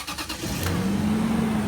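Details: 2005 Land Rover Range Rover HSE stretch limousine that would not crank (lights worked, no ding) now cranks briefly after a relay bypass, catches and settles into a steady, even idle; normal start and idle.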